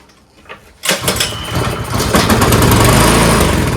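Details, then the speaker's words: Troy-Bilt Storm 2410 two-stage snowblower with a surging engine: after contact cleaner is sprayed into the spark plug hole, a pull makes it catch and run roughly. Spark and compression are fine, so it is fuel starvation; suspected shutoff, kinked or chewed line. "It's the fuel. There you go. It's the fuel. Now we've just troubleshooted. It's not the spark. It's not compression. It's not getting fuel."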